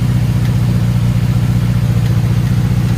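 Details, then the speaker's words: Infiniti G35 sedan VQ35DE engine, considered blown and needing rebuild, at idle with no check engine light; heavy uneven idle with lumpy thump three or four times a second, stuttering and shaking badly, rough idle, cause not confirmed. "Alright guys, this is what the G sounds like, but I don't know if y'all can hear that. But it sounds very bad. It's stuttering real bad right now, as y'all can hear."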